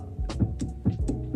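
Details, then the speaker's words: Porsche 944 fuel pump wired directly to a battery ticks with low, uneven thumps instead of whirring; it sounds stuck and is later judged dead despite being struck with a hammer. "but it's ticking it just sounds like it's stuck cuz it should just Whirl Away on here"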